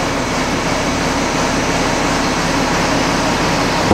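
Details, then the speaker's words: Feed mixer driven by the tractor PTO after the inside work, already spun by hand, run briefly to check for rubbing before primer: smooth, constant rushing with no scraping, knocks or rubbing; normal mixer run. "we're just going to start it up with the PTO here and run it for a quick second"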